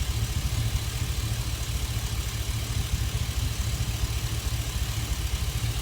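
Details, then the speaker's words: Chevy Express V8 at idle with an intermittent cylinder 1 misfire occurring only at idle, persisting after injector and coil swaps. Low, uneven lope dipping about twice a second. Cylinder 1 dropping out; owner concludes it is probably a loose injector 1 connection. "So probably I have a loose conn"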